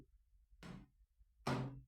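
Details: Scrap M9R782 2.0 L engine (Vivaro) on the bench, crank turned slowly by hand: a few heavy, dull clunks at irregular moments with silence between; worn big end bearings knocking, crank and bearing failure.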